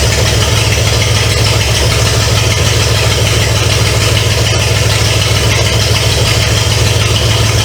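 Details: 1970 Pontiac LeMans with Pontiac 350 V8, first start after sitting for years: loud, raw burble at steady idle, even beat, no knocks or ticks; bottom end sounds sound. Smoke is from oil put in cylinders to unstick rings. Normal idle.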